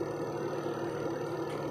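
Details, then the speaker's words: Single-tub spin dryer after adjusting the brake away from the brake drum/coupling (brake pad worn out): steady mid-pitched hum with no scraping or rubbing; the spin runs quietly and normally. "Yan, tahimik na mga kabuting-ting dahil yung kanyang brake ay talagang lumayo doon sa pinaka brake drum"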